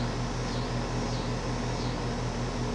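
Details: Home A/C condenser with a rebuilt compressor sound blanket installed, mic right up close: steady low mains-pitch hum under fan hiss, even and unchanging; healthy.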